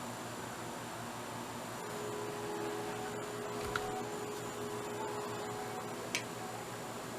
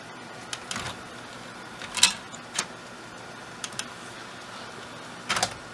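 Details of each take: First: Thrift-store Sylvania DVD/VHS combo loading a DVD: faint quick ticks and small pops over a quiet motor hum, laser hunting for focus; DVD doesn't sound too healthy. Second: Sylvania DVD/VHS combo loading a DVD: a few soft clicks and brief whirs as the disc seats and the lens focuses, almost no ticking or lens bottoming out; normal disc loading and focusing.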